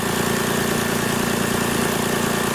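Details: 2000 Lexus RX300 that would not start, after the idle air control motor problem was addressed and reassembled: it starts without throttle and idles with a steady, even hum and no stumbles.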